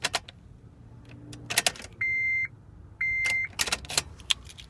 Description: No clicking sound, nothing at all when I turn key...